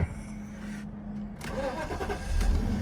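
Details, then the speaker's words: Copart auction car that is low on gas and washer fluid, with good power steering: a short crank, then it catches straight away and settles into a smooth, steady idle with no misses or knocks. Normal start. "Is out of gas and washer fluid, but you saw it. Power steering looks good. She fires right up."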